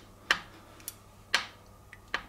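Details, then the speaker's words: Shimano two-piece bonded crank arm with a split spider glue joint from galvanic corrosion, clamped in a vise under light load: three sharp dry creaks in a quiet room, sounding just like a bottom bracket creak. "So you can just about hear that creaking. Imagine that happening every time it was going around. What I wonder is how many people have thought their bottom bracket was creaking and it turned out to be the defect in the crank arm spider."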